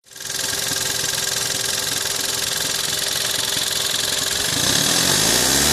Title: VW 1.4 TSI 122PS (CAXA) engine noise